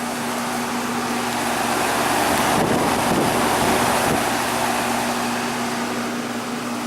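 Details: Goodman heat pump running normally in heat mode on a 53°F day, outdoor unit: steady, even whoosh of the outdoor fan over a smooth compressor hum, no knocks or rattles.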